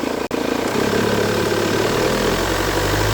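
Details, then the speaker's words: Fiat Toro diesel idling, noisy with the AC on: uneven fluttering slap as the accessory belt jumps top and bottom and the tensioner works wildly, from a seized alternator overrunning pulley. "Vocês viram que estava pulando loucamente a correia lá em cima e aqui embaixo, e o tensor trabalhando loucamente?"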